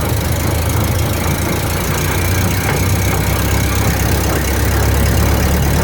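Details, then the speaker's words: 1929 Ford Model A pickup on jacks with the wheels spinning: a steady low rumble with a loose, uneven clatter. The owner suspects the transmission, driveshaft or rear end; the source is not yet found. "Tube got this uh 29 model a running and driving however it's making a heck of a racket it's either in the transmission or the with a driveshaft or the rear end one I'm not sure"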